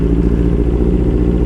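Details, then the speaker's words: Yamaha R6 5SL pulling off at low speed: low, lumpy, uneven thudding, strained and down on power, needing lots of throttle with clutch; no codes or warning lights; misfire. "No, I'm just going to turn around in here. It's like really struggling to pull off. I'm having to give it a lot of gas with the clutch."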